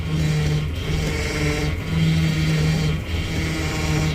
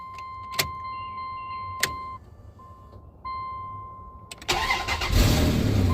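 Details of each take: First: 1999 Dodge Dakota, power steering fluid topped off, engine idling while the wheel is turned lock to lock: a wavering whine rises and falls; pump starving for fluid or failing, leak traced to the pump, which needs replacing. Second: 1999 Dodge Dakota after power steering pump replacement, first start after filling fluid: chime, engine cranks and settles to steady idle with no pump whine or groan; steering stiff at first then loosening as fluid cycles, normal power steering operation.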